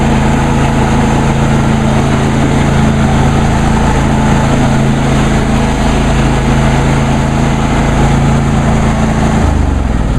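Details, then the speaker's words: John Deere D130 lawn tractor running with mower blades engaged, deck raised all the way so not cutting: smooth, even engine drone with steady low blade hum, no knocks or rattles; normal running. "let's turn the blades on let's see what this thing sounds like I have the neck all the way up so I'm not really doing any cutting"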